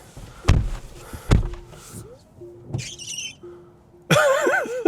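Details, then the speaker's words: Tesla Model Y Juniper wiper on windshield PPF film after 30+ days, retested after wiper cleaning: a few dull thumps, then a sharp chirp and a loud wavering squeal as the blade drags on the film. The squeak is worse, not fixed. "Let's go ahead and see if that squeak still happens. Let's go back inside and see if I fixed it."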